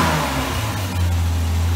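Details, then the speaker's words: Series 1 Jaguar E-Type, first start after 30 years following restoration: engine pulls up from idle with smooth, even note, no misses or stumbles; running healthy and surprisingly smooth from the first start. "I thought we'd get it running but I didn't think it would be so smooth right off the bat given how much tail-chasing we've had"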